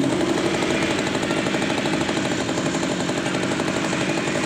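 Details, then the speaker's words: Stihl grass-cutter two-stroke that would not start after 100 pulls, retested after carburetor and spark plug refitting: steady, even buzz holding speed without stumbling or surging; now idling normally. "Ini kita tes kembali. Hidup normal enggak ada masalah."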